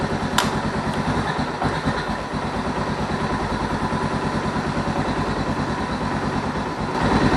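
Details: Suzuki DR650 single after replacing the leaking rubber seal in the fuel cock (had run rough), started with a bit of choke: steady single-cylinder thump about three beats a second, even and unbroken, slight rise at end; healthy settled idle.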